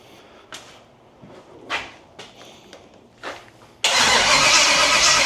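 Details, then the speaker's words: Small block Chevy 350 V8 with Turbo 350 in a 1923 T-bucket hot rod, baffles in the exhaust, fuel filter just reprimed; short cranking bursts then a loud, even, steady exhaust note, running healthy. "so this is what it sounds like with the baffles in it so not too bad"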